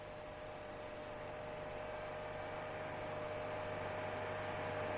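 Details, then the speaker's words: Steady low droning boom inside the cabin at 4200 rpm: engine vibration makes the exhaust pipe vibrate, which can happen if the pipe support is incorrectly installed, resonating the body and air. "колебания двигателя приводят к вибрации выхлопной трубы вибрации если неправильно установлена опора трубы"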